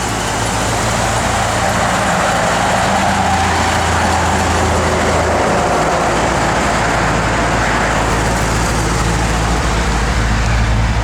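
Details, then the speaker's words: Restored 1957 Chevrolet 210 Wagon, 350 ci V8 with Edelbrock 4-barrel carburetor and aluminum intake, GM double-hump heads, MSD 6AL ignition: deep, steady rumble with an even beat through dual exhaust, no knocks or misses; healthy idle. "You can go ahead and fire it up, Nathan. Original door handles. Runs out excellent."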